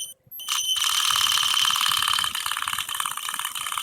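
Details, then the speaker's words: Traxxas Mini E-Revo electric RC truck at barely-pressed throttle; a high, thin whine with a fast ratchety chatter, owner unsure whether the motor or transmission is at fault or whether it is normal. "it's just that noise i also want to make sure that noise is is not something that's"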